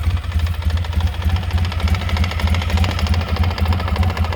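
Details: 2003 Polaris Sportsman 600 Twin ATV: heavy deep knock about three times a second over a rough idle; owner asks if normal, cause not found — engine knocking.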